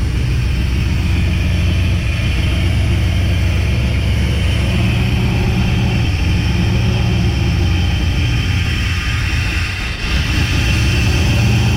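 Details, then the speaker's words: Chevy truck with an engine taken from another truck, where it ran smooth, now with ignition timing still being set. Deep, uneven, loping idle with stumbles and a backfire, from timing issues. "backfired and everything so yeah we definitely got some timing issues"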